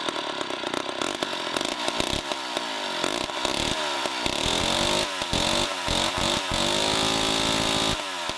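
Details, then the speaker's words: 1960s Homelite C-51/XL-12 two-stroke chainsaw surges and bogs in ragged bursts and sounds flooded; the owner can't tell why the carb floods and turned the low-speed screw in to feed less fuel and warm it up. "i went ahead and turned the low side of the carburetor down or in because it's just flooding the carb out and i don't know why it's doing that"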